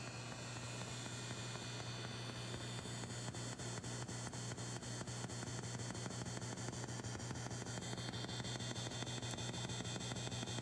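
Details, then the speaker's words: 1970s vintage Fender Twin Reverb amp, vibrato intensity about six: steady soft tick roughly twice per second over idle hum and hiss, the known intermittent problem of the vibrato circuit ticking into the background. "can hear that tick tick tick tick going on this is the problem we have with this right now is that the vibrato has got this it's a known problem it's a tick tick tick that goes on in the background"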